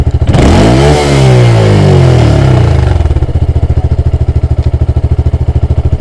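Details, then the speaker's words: Honda Grom after the erratic-idle fix, in neutral: revs smoothly right through, past the 6500 rpm it was previously limited to, and settles to a steady idle; running healthy. "Oh, it's miles happier. And revving right through. We've got to about 6.5 before."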